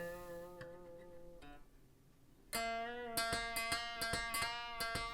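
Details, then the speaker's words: Gibson SG, G string at the 3rd fret dented after the guitar fell against a mic stand: sustained notes with small metallic pings and clicks as the string catches in the dent during vibrato or bends, before emergency solder-paste fret repair. "With vibrato or bending, the string was getting trapped in the dent and pinging really badly."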